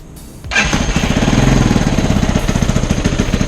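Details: CSC TT250 229cc single dual-sport bike, after a valve adjustment to cure lost power and hard cold starting: after a short crank it catches at once and settles into an even, steady thump at idle, starting and running normally.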